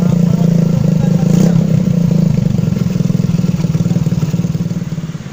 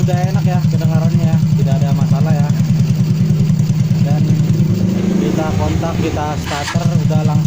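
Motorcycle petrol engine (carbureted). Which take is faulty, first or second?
first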